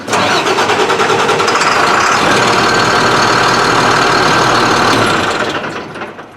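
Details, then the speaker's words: Beverage truck with DT466 diesel that starts hard after sitting overnight, recranked just after running: the starter grinds steadily for about five seconds at roughly three pulses a second without catching. Mechanic suspects air in the fuel. Extended cranking. "see it shouldn't crank like that after just being started it should just fire right"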